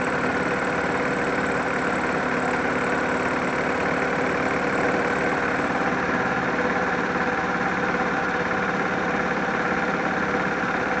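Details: 1999 Yamaha G16 golf cart, small petrol engine idling steadily with a thin, constant squeal from the drive belt; cause unsolved.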